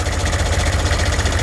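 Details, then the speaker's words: 6.5 turbo diesel parts truck idling: quick even chuffing puff on every firing pulse over low rumble; bad exhaust leak suspected under driver's side bank, turbo not spinning; oil pressure good, no blow-by; exhaust leak. "bad exhaust leak the turbo's right not even spinning i think it's right underneath the driver's side bank this sucks"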